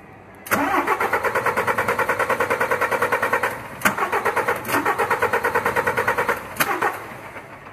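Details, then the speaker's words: DAF MX-11 truck, codes P9004 and P228D, injector leak-off within spec, unit pump test while cranking: three bursts of even cranking, never fires; one fuel pump unit not delivering, traced to failed pump camshaft and follower. "i just want to make sure both fuel pump units are delivering fuel which as you can hear they aren't"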